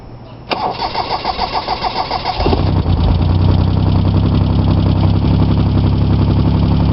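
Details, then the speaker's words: Chevy Sprint turbo 1.0L 3-cylinder rebuilt (ported head, valve job, KKK turbo, straight pipe), total cold start low on fuel: cranks about 1.5 s, catches to fast cold idle with light ticking; valves set loose, to be tightened. "The valves are set up loose on this engine. I'm gonna tighten that up once I play a little bit more with it."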